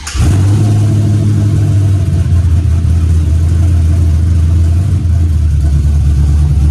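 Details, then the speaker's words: 1987 Monte Carlo SS with LS swap, cammed, FAST intake, cooled down after dying when put in gear: starts quickly with a little pop from the pipe, strong even deep rumble, no misses; runs and revs normally after fix. "But the problem I was having, gang, is gone and I'm happy. So let's see if it's gonna start up."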